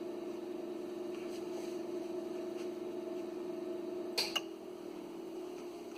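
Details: Original cooling fan in an Ameritron ALS-600 amplifier power supply, before replacement with a Noctua fan: a steady droning hum until a couple of clicks, then winding down; the original fan is noisy.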